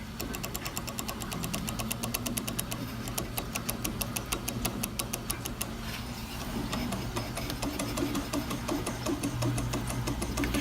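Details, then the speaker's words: Walker Turner 1216-42 drill press motor: a steady hum with a fast, rapid ticking chatter over it. The owner suspects a worn rear bearing and plans to replace the bearings. "Also, I didn't really cover this before. You can hear some bearing noise. Sounds like this rear bearing."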